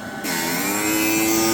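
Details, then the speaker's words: Sparx ES200 skate sharpener (August 2022 build) after warming indoors a couple hours, having failed cold at 40–45°F with code 236: motor spins up within a fraction of a second and holds clean steady full-RPM hum, cutting the skate; normal. "it's got full RPM and it cuts the skate"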